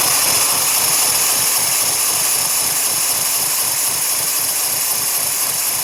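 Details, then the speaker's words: Lego electric motor at start-up: a high, thin whir with an uneven pulsing, labouring as it struggles to come up to speed. The cause is unconfirmed. "You can kind of hear how it struggles to start."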